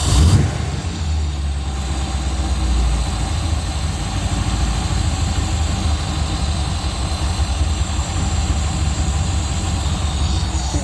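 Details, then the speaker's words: Rover V8 with twin SU carbs after tuning, warmed up: low, steady tick-over, even beat with no hunting or misfire. Carbs sound close to balanced, normal idle. "got 100 reps on the tick over there we go I'm going to call that one done for now"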